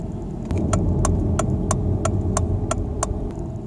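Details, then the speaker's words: Volvo V50 after rear hub replacement, slow test drive on snow tires: low even cabin rumble with no bearing hum, only tire noise and slight brake noise; an indicator ticks about three times a second. "World of difference that has made. Wow. Noise we hear now is pretty much just tire noise from the snow tires."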